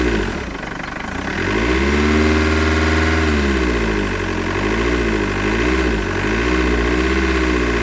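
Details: Mercedes W211 E200 CDI OM646 diesel idling with wavering revs and a rough rattle under the clatter. The air filter box and hoses were checked and are OK; the owner suspects an intake issue, but the cause is unidentified.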